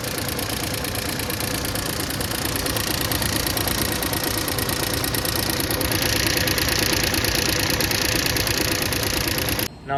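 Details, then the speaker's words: 2013 Volkswagen Jetta 2.0 L at idle, no check-engine light, after oil ran low a few days earlier: steady idle with light fast ticking about three per second, valvetrain tick suspected, not confirmed. "the guy is saying is oil run low a few days ago and now now the engine is making ticking sounds when it is on idling."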